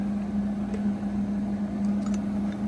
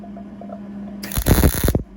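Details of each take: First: Short MIG weld with steel wire repairing a broken shop stool, over shop fan hum: arc crackles and pops unevenly, sputtering attributed to a poor ground clamp connection. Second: Beginner MIG welding a broken shop stool with steel wire: quiet hum, then a brief even crackling sizzle that stops cleanly; steady, well-settled MIG arc, weld feels solid.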